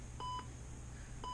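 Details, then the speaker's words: TST01 touch screen tester connected to the touch screen and to a PC by USB: two short clean beeps about a second apart over room hum, showing each touched spot registers. "and then you can use a computer you can hear the beeping sound you're that so that way then you can start to pass any possibility"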